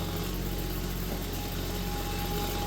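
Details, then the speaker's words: Vintage Kenmore fan after rewiring its rotary switch: steady low hum at high speed, even unchanging drone, no knocks or scraping; motor running smoothly though not quiet. "Hey, it gets up to speed and it gets quiet. Well... Good gravy, that's fast. And not exactly quiet, but..."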